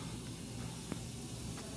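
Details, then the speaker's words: Walk-in cooler freezing product, HeatCraft Intelligen controller with electronic expansion valve (EXV); with the cover off, a soft steady hiss is heard as refrigerant leaks by the supposedly closed valve; fixed by replacing the actuator on top of the EXV. "we're popping this cover off i can hear it leaking by um it's not real bad"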